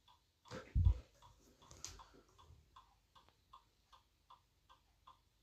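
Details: iPod in DFU mode: faint, evenly spaced short chirps like a microwave beep, about two or three per second, in a quiet room.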